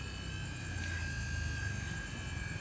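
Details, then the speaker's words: MG4 EV parked and switched on, A/C recently turned on with the cabin still hot: in a quiet car, a steady, clean high whine over a soft low hum from the electric A/C compressor, running normally; it quiets once cooling stabilises. "แต่ถ้าความเย็นมันคงที่แล้วนะครับมันก็จะเบาลงเพราะว่าช่วงแรกที่เปิดก็คือห้องโดยสารก็คือยังมีความร้อนอยู่"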